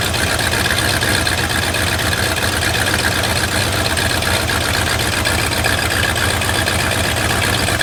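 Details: Lifted bullnose Ford carbureted V8 truck running after sitting almost 4 years, carburetor just cleaned and rebuilt: steady, smooth idle with even low rumble, no stumbling or missing, settling after idle mixture screw adjustment; normal idle.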